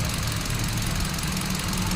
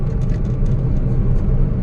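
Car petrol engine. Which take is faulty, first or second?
first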